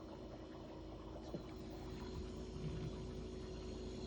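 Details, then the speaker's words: Kenmore refrigerator after replacing the circuit card in the obsolete compressor inverter box: low, steady, even-pitched hum with no clicking or rattle; compressor started and running normally. "Yeah, the compressor's running. Yeah, the compressor's running. I think that's success."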